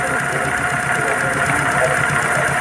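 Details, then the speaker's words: Car idling with belt removed: fast regular ticking chatter in step with engine speed from a worn idler pulley bearing with play; the supercharger is also noisy, while the power steering, air conditioning and large pulleys show no play. "já consegui constatar que temos um defeito nessa polia aqui ó essa polizinha aqui ela tá bem Tem até folga nela ó"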